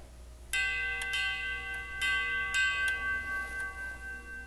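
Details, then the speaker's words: Grandfather clock tube gong struck with hard pencil eraser (testing hardened hammer leather pads): sharp tinny strikes with bright high-frequency tingle from pipe resonance; hard hammer leathers need replacing. "And so it's uh it's fairly clear that having a hard hammer causes a high frequency kind of resonance or vibrations in the in in the pipe."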